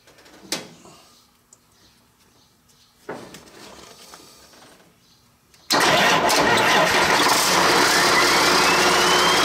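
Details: Hyster with Cummins 8.3 (505 cid) diesel, HX40 turbo with machined small 6cm exhaust housing, no load: fires after cranking, runs loud with thin rising whistle over rattle; about 35 psi drive pressure for under 20 psi boost, housing too restrictive, later replaced by HX55 11cm.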